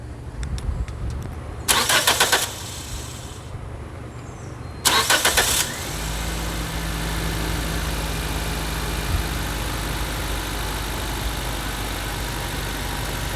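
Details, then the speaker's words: 2006 Nissan Sentra after fuel pump replacement for fuel pressure issues: two bursts of cranking, then it catches and settles into a steady, even idle; fuel pressure 55 psi running and holds just below 50 after shutoff. "we got really good pressure we got 55 PSI it's great"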